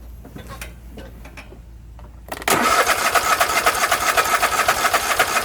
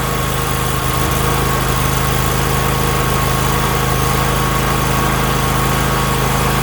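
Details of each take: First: Husqvarna YTH24K48 lawn tractor cranking with fuel line pulled off pump outlet: quiet clicking then steady cranking about four strokes a second, never catches; no fuel from pump to carburetor, possibly clogged tank line or fuel filter. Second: Husqvarna YTH24K48 lawn tractor that cranked but would not fire, now running after a fuel hose with a hole was found. Steady, even idle with a smooth low drone and no stumbles or knocks, a normal idle.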